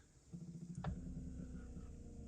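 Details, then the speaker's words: 1987 Buick Grand National original Powermaster electric brake-boost pump after fixing a louder-than-usual noise: quiet, even low motor hum starting and holding steady, without the earlier loud noise; sounds healthy. "sounds much better sounds the way it should you hear the motor running but it's not making that loud Airbound"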